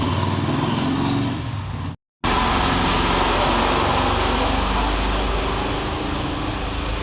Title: Cylinder 1 and 2 misfire | Maruti Suzuki Alto 800 #mechanic #marutisuzuki #alto800